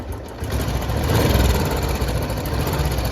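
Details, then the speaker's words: Royal Enfield Bullet 350 warming up after adding Abro oil treatment: single-cylinder thump with light uneven tick of about four per second at idle from the exhaust side, not rocker noise; owner suspects missing copper exhaust gasket, tick persists. "इसी चीज की आवाज आ रही है यहां से rocker की आवाज नहीं है ये रॉकर की आवाज होती है तो बहुत अलग सी होती है और बहुत मतलब तीखी आवाज होती है जो कानों में छुपती है तो ये उसकी भी आवाज नहीं है"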